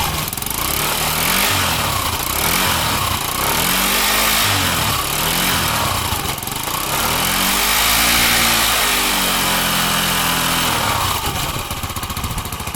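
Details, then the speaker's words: 2003 Honda Metropolitan with swapped-in Ruckus engine, crankshaft seal oil leak: small single-cylinder idles evenly with steady putter and slight rev swells, no knocks or rattles; runs and idles good, charging system working. "Runs and idles good. The charging system is working."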